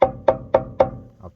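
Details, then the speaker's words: Hammer taps on a pressure-washed Toyota frame, passenger side, during frame and flat deck project: four sharp, bright, clear rings a quarter second apart, what solid steel sounds like when the part's good, no dull rot. "is what it should sound like if this part's good"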